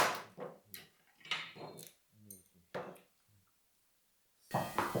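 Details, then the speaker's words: Glued solid oak parquet lifted and warped by a water leak, tapped to find how far it has come unstuck: dull hollow knocks sounding empty rather than solid, showing debonded floorboards to replace. "Donc là je sonde pour savoir à peu près jusqu'où c'est décollé. Donc celle-ci on va la changer je pense. Hop, celle-ci. Là pareil, on entend bien, ça sonne le creux."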